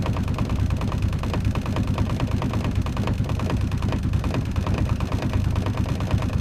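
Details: 1991 VW Jetta turbo diesel, cold weather, new battery, starter and glow plugs yet cause unknown, retry after cooling starter: steady rhythmic starter chug with a few firing puffs, never catches; hard cold start, fails to catch.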